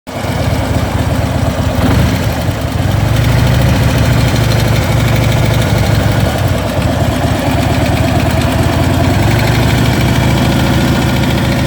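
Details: Harley Ultra Limited big-twin: lumpy idle with a light, quick tick riding steadily over the beat; engine ticking noise, source not yet identified.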